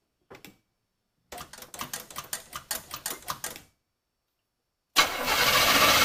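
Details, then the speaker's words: Car cranked with a JFEGWO 8250 jump starter at 72% charge: brisk, even starter whirring at about four turns a second with no firing at all; fast cranking, no start, owner suspects no fuel in it. "let's see what happens and hey maybe it'll actually start it's cranking it really fast"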